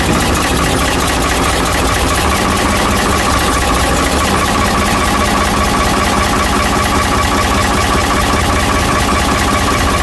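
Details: Ford 555 backhoe diesel after head reinstall and retorque, back together after winter: steady even idle with a constant low drone, no knocks or misses; engine healthy and settled.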